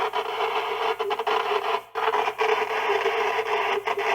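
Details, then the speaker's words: YMAO 6699 SDR-based CB/HF radio in AM mode, no squelch: harsh raspy static with a steady mid tone and uneven dropouts at switch-on, unlike another unit; abnormal receiver noise, cause unknown. "Oh, hello 888. That sounds shitty. I don't like that. My other one didn't sound like that when I turned it on."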